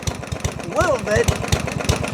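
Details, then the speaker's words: Yard-Man 139cc OHV mower after its carb jets were drilled out with a 3 mm bit, at its slowest idle after suddenly shutting off. Rough single-cylinder chuffing with a sharp hammer-like knock on each firing stroke; engine knock, cause unconfirmed. ">> I can feel each each fire. >> Sounds like there's a hammer hitting on the inside of the model."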